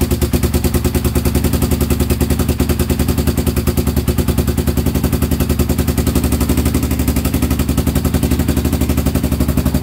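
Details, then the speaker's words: Honda 400EX quad, single cylinder, on borrowed battery: rough idle with rapid hard popping chatter; backfiring began after a part near the seat was bumped during seat removal. Cause unclear. "came off okay yeah I was taking the seat off and this came off and I was trying to put it back on and I bumped this and I don't know it's really what it is and then it started backfiring after that"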